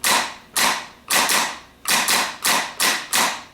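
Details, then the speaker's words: Rebuilt Ford PMGR starter bench-tested on the ground with jumper cables to a battery, bridging small to big post in short bursts: about nine sharp whirring bursts, Bendix snapping in and throwing back quickly, no hang-ups; healthy engagement. "And what we usually do first is we do a series of short bursts so that we can see that the Bendix is snapping in and throwing back quickly."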